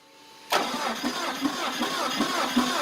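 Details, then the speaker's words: Mitsubishi engine (model possibly GCS25S) with extreme low power, cranking before the compression test: an uneven, lopsided cranking beat, with some strokes catching harder. Ignition is ruled out, and low compression in cylinders 2 and 3 is suspected. "that sound right now that you're hearing is the engine cranking over but it sounds uneven so at this point checking ignition it's not gonna be an issue it's more gonna be compression inside the cylinder"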